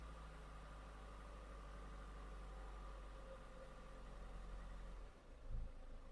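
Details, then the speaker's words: Ford diesel idling after alternator replacement: steady, even idle, and the earlier grinding and whining from the engine bay are gone. "right now vehicle has a good idle. Yeah, that job success. And you can hear No any grinding noise, winding noise like before"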